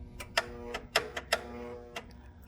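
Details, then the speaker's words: Abandoned 1980s Snapper riding mower, jump-started with 50 amp boost: sharp, irregular clicks about two a second with no cranking or turnover; starter not turning, suspected stuck starter needing a whack. "Sounds like the starter needs to get whacked."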